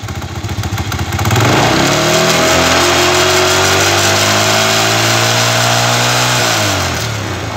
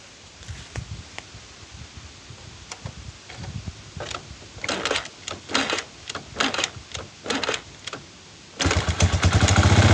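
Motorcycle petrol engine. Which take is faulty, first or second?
first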